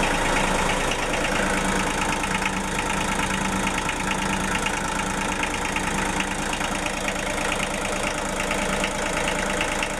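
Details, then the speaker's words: Denyo DCA-15SS-N genset, 1.6 L 3-cylinder Nissan diesel (18 PS at 1500 rpm), over 30 years old, cold just after first start in years, smoking a little: steady clatter, even knock about three per second with mechanical rattle; normal idle. "okay this that's not that for a an engine that hasn't run in years no wasps anymore it's smoking a little it's smoking a little but I guess I won't be too happy if someone wakes me up after years sleeping"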